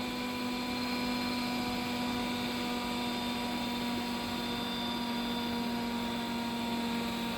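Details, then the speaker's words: Fan load on a 24VDC-to-18VDC isolated push-pull converter (TL494, BC550, BD139, 70 kHz) around 14 V output; steady whir whose pitch sags within seconds as output droops with warming; suspected overheating component. "And you see it does not take long for it to start warming up. You can hear that fan speed just dropping."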